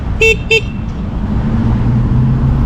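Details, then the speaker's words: Talaria Sting R electric dirt bike, stock motor and battery, after KO Moto controller install: two quick, short horn toots over low motor rumble, note thin and muffled; suspected horn resting against or covered by something, possibly the wires. "Sound like it's resting on something. Or something covering it? That's what it sounds like. Do it again. Oh, it's hitting up against the yeah."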